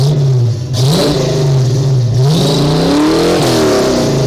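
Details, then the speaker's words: Ford small-block 302 V8 after vacuum leak and sticking EGR fixed, smog and cat deleted; deep burble climbs cleanly through hard revs and drops back smoothly, no misfire or stumble; healthy revving. "Okay, now the main reason, one of the main reasons, besides improvement in horsepower and torque and freeing her from the emissions crap, lets you listen to the beautiful sound of the Ford small block 302 cubic inch V8."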